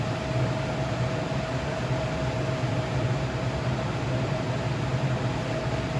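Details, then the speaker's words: New Jet AFS-1000C shop air filtration unit at fan stage 6, 1000 CFM top speed: loud steady rush of air with faint constant hum, smooth with no rattle or wobble; normal operation. "It goes from 450 on stage 1 up to 1000 CFM on stage 6. So let's see how loud this thing gets here."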